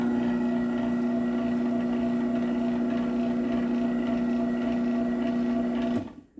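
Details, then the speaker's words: Garage door opener, AC chain drive, running: even steady hum, low drone, light chain rattle, clean stop; normal, but as loud as the DC belt drive. "Now, I don't know how well the audio is on camera, but in person, they are the same noise level, which is kind of ridiculous."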